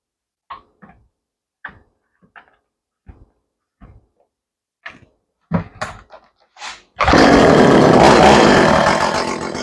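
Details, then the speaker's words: Echo CS400 chainsaw after carburetor tuning with air filter on and chain adjustment, fully reassembled: handling clicks, then a loud, steady high buzz holding evenly; running properly. "that thing feels good that came out really well now this is a pretty good little saw"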